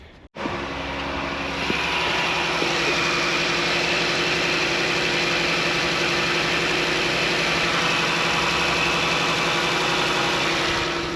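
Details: Dodge Journey after alternator replacement, warming up at idle with charging now at 14 volts: a steady, even, smooth hum with no knocks, misses or squeals. The engine sounds healthy.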